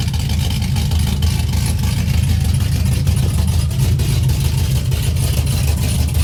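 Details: 2004 Chevy Silverado, stock 5.3L LS V8 with Engine Pro performance cam (218/227 duration, .526/.524 lift) and new springs, cold first start after swap, accessories not connected: deep, lumpy, loping idle with steady low rumble; fired right up despite weak battery, normal healthy idle.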